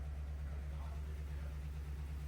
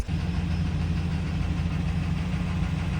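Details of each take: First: Friend's truck at first start after swapping in a replacement 6L V8 to cure rod knock: it quiets once oil reaches it and settles into an even rumble with no knock; a possible exhaust leak is questioned, and there are no check engine lights. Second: Friend's truck running on its original engine, which has rod knock, heard from inside the cab: a deep rough lumpy idle with an uneven low knocking; it runs but poorly, consistent with a worn rod bearing.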